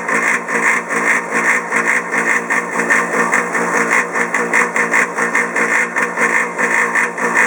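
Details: Polaris PB4-60Q booster pump for Polaris 380 pool cleaner, quiet model a few years old: loud harsh roar with rough pulsing about 2.5 per second, audible over 100 ft even enclosed; abnormally loud.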